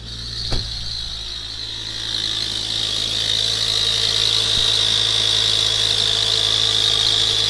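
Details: Ford Focus ST Mk2 engine: steady high hiss-whistle over the engine that grows as it settles, from a leaking exhaust manifold gasket/bolts, found by a local garage (Volvo service had claimed the turbo needed replacing).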